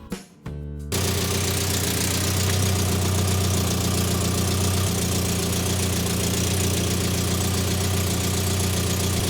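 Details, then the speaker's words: 1970 Morris Minor Traveller after SU carburettor rebuild, jet adjusted, spark checked: engine catches and settles into an even, steady idle with a low regular beat, no misses; running smoothly after earlier breakdown. "that sounds well it sounds like it's on which is better than what we were getting but it sounds really nice actually I think"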